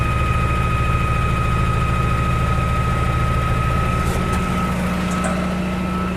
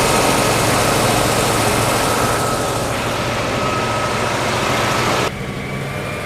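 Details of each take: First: 1956 Oldsmobile 88 V8 at its first start after sitting, run off a portable jump pack: lumpy low idle at about three pulses a second while fuel sprays over the engine near the fuel filter, a line riding on the belt; fuel leak. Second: 1956 Oldsmobile 88 V8 running after long storage, with the fuel line fixed and the battery charged. It runs smooth and even with fan hiss and no misses or knocks, and the idle is slightly high. Owner suspects an earlier stuck valve and oil not yet cycled.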